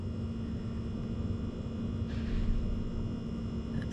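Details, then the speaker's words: Sub-Zero refrigerator not cooling, with a long-run error code: steady low compressor hum with no fan whoosh; the condenser fan motor isn't running, about 170 degrees, with compressor and condenser overheating; compressor running with failed condenser fan motor. "so most likely is getting power it is not operating so everything is just overheating and we're not getting anything good so that's fan motor right there so this thing is running but with that fan motor it's going to overheat and we're not going to get good temperatu"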